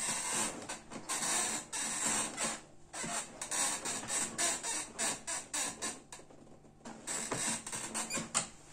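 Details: Gaming chair (cyberground GENESIS) after six months of near-daily work-from-home use, seat cushion badly compressed: irregular short squeaky creaks in bursts as the seat is shifted; frame or mechanism creaking under load, cause not confirmed.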